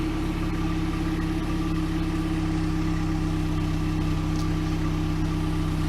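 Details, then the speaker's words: 1998 Pontiac Sunfire idling after its factory muffler was sawn off and replaced with a new OEM Walker muffler, checked for leaks: steady, even low idle with soft, smooth exhaust note, no puffing or ticking; much quieter than before, sealed and healthy. "testing to see if there's leaks anywhere we can York that's all right you don't need a creeper so much quieter than the other yeah"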